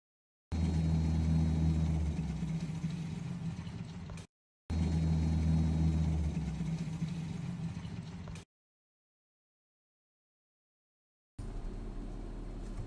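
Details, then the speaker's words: AHTR12 air conditioner recorded with the phone right next to it: fan drone with a faint thin whine that stops as the unit cycles; owner suspects the compressor and says a second unit sounded the same. "it's just the high-pitched whining see in this video you can hear it go off and i think the wine is the compressor"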